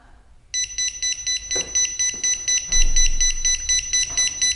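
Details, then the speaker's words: Pride Jazzy Air 2 power wheelchair: rapid steady high-pitched beeping from the tilt alarm when the seat lift is raised on uneven ground, triggered by a front caster pressing a leveling sensor; may briefly slow speed. "the Air 2 has a built-in safety mechanism where if you raise the seat lift up on an uneven surface your chair will beep at you it will sound like this"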